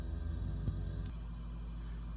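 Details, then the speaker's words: 4K UltraHD Blu-ray disc in a cheap LG UP970 player after two pieces of tape added to balance it: low, steady, even spinning hum with no wobble or vibration. "Now listen to it. It is dramatic. That disc sounds like it's perfectly balanced, but the reality is it's not."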